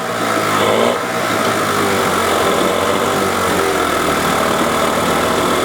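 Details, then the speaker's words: Johnson outboard (1978 25 hp or 1994 15 hp) with an uneven, lumpy, stumbling idle that worsens in gear. It sounds like one cylinder is firing; the owner suspects a gummed-up carburetor or the dual coil setup. Rough running. "sounds like it's running on one cylinder. But when I shift it, doesn't idle well at all. So she's rough, so I'll clean her up a little bit."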